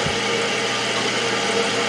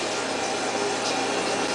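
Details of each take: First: Toilet after replacing the fill valve with a Fluidmaster, tank refilling: steady even hiss with no chatter or squeal as the float rises and shuts off; repair successful, fill valve working normally. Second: Toilet refilling by itself multiple times a day with no flush, before repair: steady even hiss of water running into the tank; owner plans to fix it by replacing the fill valve with a Fluidmaster.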